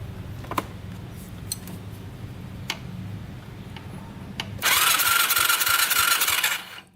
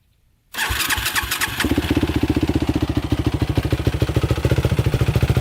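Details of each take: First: 2006 Yamaha YFZ450 quad: a few clicks, then about two seconds of fast, even starter whirring with no firing; a spark check shows no spark, so the CR8E plug is to be changed. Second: Yamaha YFZ450 quad cold start before a ride, suspected leak near clutch area: catches after a brief crank and settles into a fast, even thumping idle; owner notes the cooling fan never seems to come on. Normal cold start.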